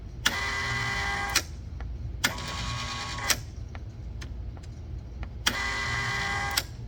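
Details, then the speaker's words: 115 V Kustodian Plus lane conditioning machine, squeegee up/down switch error, test output 11 running the squeegee motor while warm: motor hums in short uneven bursts with clicks between; relay was bad and a failed neutral (white) wire splice found by continuity check. "All right, we found it. There's a wire splice here that's failed."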